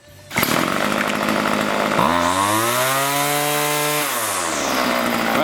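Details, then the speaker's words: Two-stroke string trimmer after spark arrestor screen cleaning and carburetor tuning, high screw set slightly lean to avoid bogging: sharp buzz climbs to a steady high rev, holds clean without bogging, then eases back, running properly. "like a champ"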